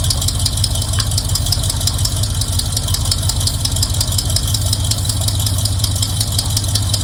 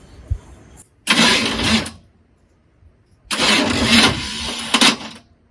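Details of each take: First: Squarebody Chevy truck now running on its own carburetor after the hoses were redone: a steady, even V8 idle with rapid exhaust patter, no misses or hunting. It sounds better. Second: Cold Chevy squarebody truck cranked on a weak battery: two short, harsh whirring bursts of about a second each as the starter spins but lacks the power to fully engage the Bendix. Starter not engaging due to weak battery.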